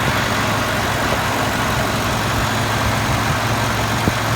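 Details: Ford 5.4 V8 after replacing the belt tensioner pulley, which was rubbing the engine block: a steady, smooth idle with an even low hum and no more rattle or clicking from the belt side.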